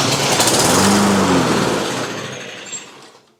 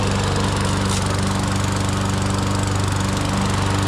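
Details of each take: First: Toro GTS 140cc mower that would not start after sitting over the winter, with good compression, on a hot day with the choke partly closed. On sprayed flammable liquid it buzzes briefly, then dies; fuel starvation from a dirty carburetor is suspected. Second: Toro GTS 140cc mower that would not start after sitting over the winter, now after a carburetor clean-out: a fast, steady, even run with no stumbles or surging, sounding healthy.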